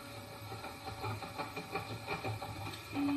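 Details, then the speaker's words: Self-assembled 3D printer kit homing all axes to the origin: soft buzzy stepping as the axes travel, ending in a steady low hum as the motors hold at the origin; homing sounds normal. "okay so I'm just going to home them all and this is going to go to the origin"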